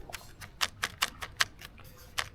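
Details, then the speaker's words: Inflatable-kayak paddle shaken by hand gives sharp, dry clicks about four a second as the ferrules move in the shaft joint hole, felt as a shake in the hand when paddling. "It's in that joint there. The ferrules are moving around in that hole there."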